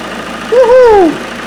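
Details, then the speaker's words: Ford Mondeo Mk5 active grille shutters at a stone-cold engine start: a short whirr glides up then down over about half a second as the shutters sweep fully open then closed. They are working normally. "excellent at least that's working fine and that's what they should be doing when the engine's Stone Cold"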